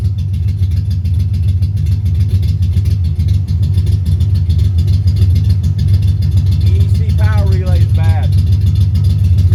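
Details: 1990 Ford Mustang LX notchback 5.0 (Pro-M 80mm MAF, 30lb injectors, 75mm throttle body, GT-40P heads, F-cam, longtubes) fires up after bad EEC power relay swapped; lumpy, loping idle, sounds on four or five cylinders, glugging fuel—misfire; owner suspects harness.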